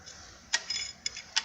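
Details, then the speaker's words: Suzuki Burgman AN 125 kick-start pedal repair, after freeing the ratchet that had jammed against the engine when the pedal fell: a few sharp, light clicks as the ratchet freewheels left over its teeth, while turning right drives the shaft; normal. "Então como que funciona essa catraca aqui do pedal? Ela tem que girar aqui, ó, para a esquerda, livre, correndo esses dentes, e para a direita tem que girar"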